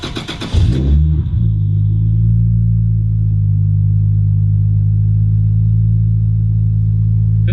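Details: Toyota Supra JZA80 with 2JZ-GTE and a misfire, after spare coil packs, cleaned plugs and knock sensor plug work: brief crank, then a low, slightly uneven idle. No fault codes, and fuel pressure is only 15-20 psi, which seems wrong.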